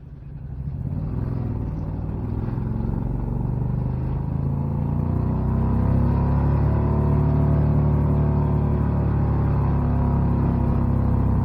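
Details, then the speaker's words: 1969 Renault R10 with a 670cc Predator V-twin and CVT drive, left in third of its four-speed manual, driving under load: a deep, even two-cylinder drone climbing gently in pitch, with CVT noise. Normal running. "the two-cylinder v twin engine actually sounds wonderful ah and the CVT drive system sort of well it ruins the sound a little bit but I'm okay with that"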